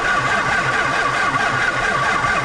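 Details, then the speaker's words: Homemade 40-ton skid steer log splitter in cold weather, frozen to the ground, starter jumped across two posts: sluggish starter whir at about two beats a second that never picks up and never fires; slow crank, no start, so a boost start is planned. "there's steel coming out of her but there's just not enough cranky crank"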